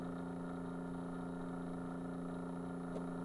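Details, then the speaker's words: Keurig coffee maker, microphone tipped toward the quiet pump: faint steady low hum with no rise and no water flowing, pump turning extremely slowly from a speed control circuit fault. "that's the pump that's turning extremely slow compared to the other ones"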